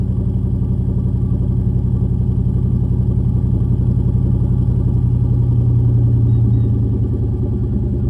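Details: SN95 V8 idling after battery reinstall, running a Seafoam fuel treatment: deep, steady rumble with a slightly uneven loping beat that never settles. Rough idle, improved from before; owner hopes Seafoam is cleaning the injectors, cause not confirmed.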